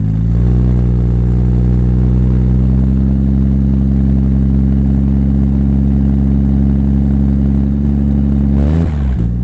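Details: Supra, first start after three years of building: steady, even low idle with no misfire, then shut-off. There is a minor exhaust leak at the mid-pipe-to-catback joint because the oversized V-band clamp won't seal, and a little smoke, probably from mystery oil.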